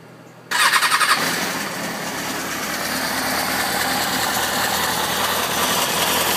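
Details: 2004 Kawasaki ZX-6R starting and settling into fast idle with raspy, uneven mechanical chatter on top; weird engine noise, owner suspects possibly the tensioner, unconfirmed.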